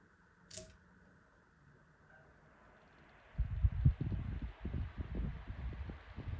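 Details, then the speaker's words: Lakewood 9-inch high-velocity fan, cleaned and reassembled after an attempt to balance it, started on low: it spins up to a low, uneven thumping wobble of about two pulses a second, louder than before; the blades are still out of balance. "Okay, this was a fail. The blades are definitely still out of whack. I don't know if I made it worse or not, but really hear it now, it's pretty much more louder and more powerful."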